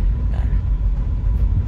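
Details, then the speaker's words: Nissan Grand Livina L11 driven over a rough road after replacing worn front caliper pins that caused clunking: low, even road rumble with no clunks or rattles; front end now quiet. "Nah ini ada jalan jelek tuh, dengerin. Nah udah senyap, alhamdulillah."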